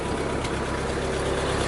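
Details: 1952 Ford 8N tractor, working condition, at steady low idle: smooth, even, unbroken beat with no knocks or misses; engine sounds healthy, with brakes, PTO and hydraulics reported working.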